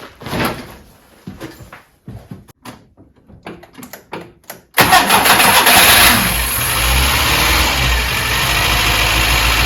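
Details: Skoda Favorit, first start after a head gasket replacement and refit: handling clicks, then the starter cranks and it fires into an even idle that settles steadily. Normal idle.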